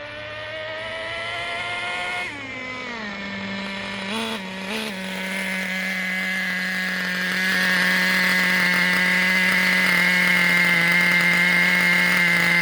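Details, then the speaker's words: Traxxas T-Maxx 2.5 nitro RC engine with new Losi 3.4 carburetor at factory needle settings, full throttle: screaming note sagging and climbing unevenly, never clearing; ridiculously rich mixture. "so we're not going to see super big differences right away just because this thing is ridiculously rich because this is factory settings yeah that's full throttle so it's rich for sure"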